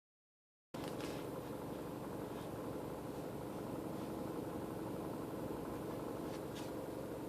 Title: Mini cooper rattle noise